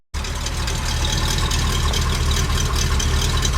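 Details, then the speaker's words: K30 fire truck warming up after new mufflers fitted and coil fixed: steady low rumble with even unhurried beat, no knocks or rattles; normal idle before test drive. "it sounds okay alright I think I'm gonna take it for a ride"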